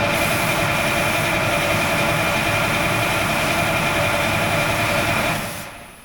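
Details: Oshkosh M1070 HET 8x8 diesel being serviced: steady, fast starter grind for about five seconds, then winding down; the engine never fires, even with ether sprayed in. Fuel feed was being checked.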